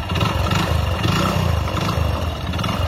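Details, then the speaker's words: Hero Splendor Plus single-cylinder bike, odometer rolled past 100,000 to 60,000 km, idling: deep, uneven knocking clatter from the connecting rod; engine is worn out. "Main engine పోతే బండి ఈ రకంగా sound వస్తది correct గా వినండి engine sound అనేది correct Kirk అంటుంది కదా ఇంజిన్ లోపల అదే అన్నమాట కనెక్టెడ్ సౌండ్ అంటే అదే"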